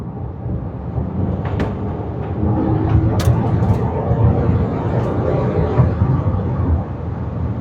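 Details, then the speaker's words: Land Rover Evoque/Range Rover, low-power complaint, on the road test after repair where an intake hose had come off: engine and road rumble build steadily with no intake whoosh or hiss; smooth acceleration, no more induction noise. "nice and smooth no more induction noise"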